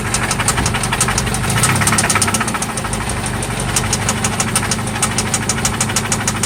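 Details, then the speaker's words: 1995 Toyota Celica ST petrol engine idling after an oil change and new spark plugs: a loud, sharp, persistent knock ticks steadily over the low drone, seeming to come from one spot; engine knock at idle. "It's loud. Oh yeah. This is what that sounds like. It sounds like it's only coming from here though."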